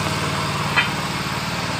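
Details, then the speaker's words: Yamaha Mio Fino injection scooter that stuttered when hot, after throttle body cleaning: runs normally now but idle stays high, quick steady tick-over that never settles; manual ECU reset by disconnecting battery planned. "tapi langsamnya masih naik."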